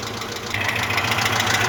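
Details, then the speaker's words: Cold Moskvich 2140 engine that had been misfiring, with water in cylinder two and oil in cylinder three; uneven idle with a sharp, steady ringing knock through the engine note. Oil pressure light comes on at idle when warm; cause not yet pinned down. "стук, якщо чуть, отак він стучить, трошки ковбаси сам двигатель."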